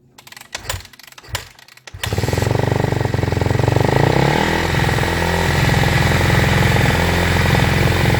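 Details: 2014 Kawasaki KX250F after fried clutch plates were replaced with new EBC clutches: a few kicks, then it fires at once and settles into a quick, even single-cylinder idle with no misses or knocks.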